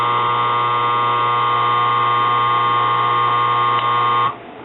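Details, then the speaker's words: Used washing-machine motor from eBay, hotwired on the bench: loud steady electrical buzz at a fixed whiny pitch, stopping abruptly when power is cut; cause of buzzing unknown, doesn't sound like the previous motor. "I got it hotwired. Sounds good. Don't know why the buzzing sound."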